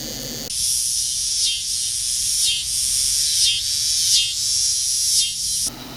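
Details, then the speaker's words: 2007 FSP 300W PSU, probably from an Acer system, switched on unloaded by jumpering: shrill cicada-like chirp swelling and dipping about once a second, with a noisy 12V rail; owner suspects bad capacitors. "i'm gonna go ahead and jump for this lead here to turn this power supply on and you're gonna hear probably hear some noise you may be able to hear it"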